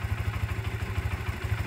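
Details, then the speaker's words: Modenas Z15 GT after the maker's repair: an even, steady low idle thump; the earlier repeating "ketap ketap" tapping is gone and the engine is quiet and normal again. "Lepas tu sekarang alhamdulillah enjin dah bunyi senyap normal macam sebelum ni."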